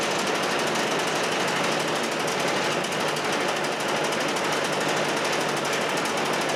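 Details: Chinese walk-behind track dumper bought broken at auction. Its small single-cylinder engine holds a fast, even chatter at steady speed in neutral with no misses or knocks: runs clean.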